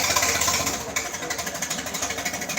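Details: Oliver tractor research unit with Hercules four-cylinder gasoline engine (not Waukesha), built for fuel-efficiency research: even, steady beat settling to a slow idle with no knocks or misses.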